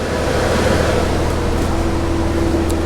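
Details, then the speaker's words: Porsche Boxster after brake and brake fluid job and coolant flush, engine idling about 15 minutes warming up: steady even rushing roar of front radiator cooling fans finally switching on over low idle hum, thermostat just opened; normal. "So but I still did not hear the fans in the front. I don't know, I probably need to wait a little more. It's been like probably maybe 15 minutes since I started it. So far no fans, so I guess I'm waiting. I'm waiting some more time. Oh yeah, there we go."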